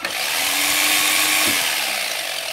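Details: Philco All in One PR2 food processor that would not turn on, now tested with switch bypassed and safety lock eliminated, on low speed: light, even motor whir with a soft hum, no catching or grinding; runs normally.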